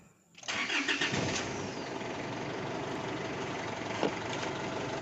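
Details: Isuzu Altera, hard starting and stalling: long steady cranking, several seconds of starter churn without catching cleanly; caused by a defective fuel filter and suction control valve.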